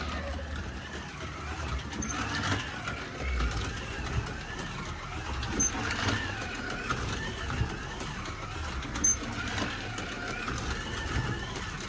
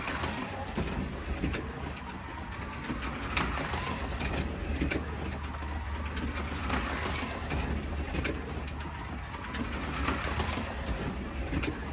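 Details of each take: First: Ford Escort Mk1 slot car running on the track; toy motor whirs with a rough, buzzy drone and uneven rattly surges, owner suspects something vibrating loose inside: abnormal running noise, cause unconfirmed. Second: Slot car lapping the track: a soft, quiet motor whirr swells and fades about every three seconds, even and smooth, with birds behind; it runs well and quick.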